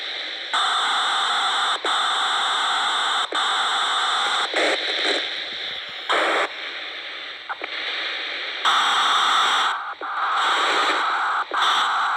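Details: MTX8000 radio: loud, harsh hissing static cuts in and out in bursts every second or two, with a steady hiss between breaks; source of the noise unknown.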